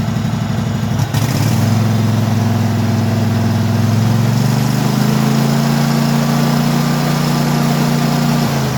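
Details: Craftsman hydrostatic mower V-twin idling after carburetor cleaning; steady, even low burble with no knocks or misses, normal idle.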